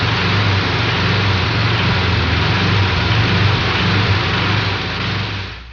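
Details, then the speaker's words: Air-cooled Volkswagen engine running: rough running with a dull knock about four times a second; loose connecting rod, a noise similar to a loose flywheel. "A similar noise is made by a loose flywheel. The dirt dirt of a loose connecting rod."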